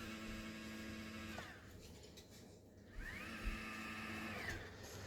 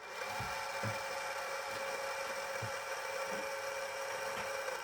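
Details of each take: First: Celestron NexStar 4SE telescope mount after strip-down and repair of loud altitude and azimuth motor noise, run on a 12 V 2 A supply: quiet, steady motor whine ramping up, holding and winding down, no grinding or chatter; drive normal. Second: Celestron NexStar 4SE telescope mount motor: steady high motor whine with a dry rasping edge and faint regular ticks about every 0.9 seconds; likely dry motor shaft bushing.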